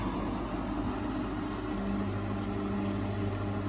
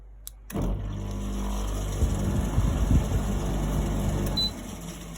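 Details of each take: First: Steady even hum with a smooth fan whoosh and faint tones from a three-week-old GE AHEK08ACW1 air conditioner, running normally after the faulty control panel that made it shut off and beep was bypassed. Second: GE AHEK08ACW1 air conditioner, about three weeks old, with the control board exposed: a click, then low motor hum for a few seconds that cuts out abruptly; unit starts then kicks off, beeping, cause unknown.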